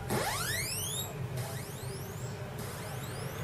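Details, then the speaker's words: Commodore 64 SID sound chip after repair, tested with SID bench: clean tones glide upward in repeated smooth sweeps, clearer than before; filter sweep now works where it previously faded into noise. "that's a lot clearer and that sweeps in which that wasn't happening before"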